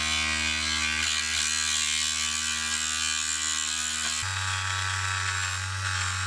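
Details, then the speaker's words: Mini lathe turning a workpiece, leaving gouged cuts: harsh, steady rattling buzz that changes pitch partway through, chatter from a workpiece not gripped firmly enough. "Yeah, that noise doesn't sound good."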